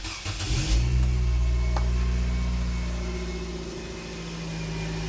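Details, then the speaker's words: Nissan Grand Livina pre-purchase inspection, started once the orange warning lamp goes out: short crank, quick catch and brief flare, then a steady, fairly smooth idle with even firing; engine sound judged normal. "Hai Hah mutu suara mesin ini kategori masih wajarlah ya suaranya masih cukup halus"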